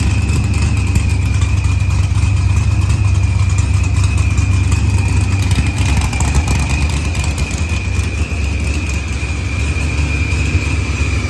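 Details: Dodge Challenger with supercharged LS swap and zoomie headers, after blown head gasket and fuel pressure sensor fixed, firmware V6 220, timing 27° (target 28°): even steady idle with low rumble and constant blower whine through light revs; healthy.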